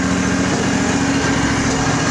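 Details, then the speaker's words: Craftsman riding mower with a Briggs engine during refurbishment, choke off, shroud cover off: a steady, even buzz at higher revs with no misses or surging, revving up and coming down smoothly. Smooth rev-up, though it dies on deceleration. "but actually it runs real nice smooth revs up the way it should comes down"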